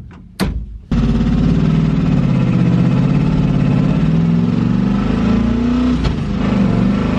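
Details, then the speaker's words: V8-swapped Miata just after TKO600 dogbox install, header removed and refitted: loud, deep, rough raspy rumble; massive exhaust leak suspected at header, possibly gasket, not confirmed. "There's a really loud noise. I think that it sounds like there's an exhaust leak going on over here, like a massive exhaust leak."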